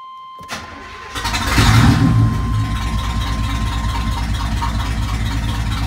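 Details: 1991 GMC C1500 with a 350 TBI V8, which previously cranked but would not start, after checking the injector fuse: brief crank, then it catches cleanly, revs up and settles into a steady, even idle; starts and runs normally.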